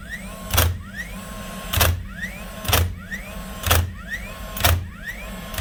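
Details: DeWalt DCN692 nailer after replacing broken springs that caused clicking without firing: about one sharp shot a second, each a clean slap after a short motor spin-up, steady and even; firing normally.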